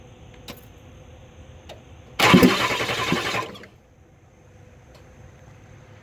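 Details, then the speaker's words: Ford 7.3 IDI diesel cranking with injection pump cover off: about a second and a half of even cranking, no firing; pump shaft not turning, sheared; pump had only 1,000 miles, thick waste vegetable oil blamed. "you can see it's not spinning the shaft aside so let's tell me that the shaft sheared broke"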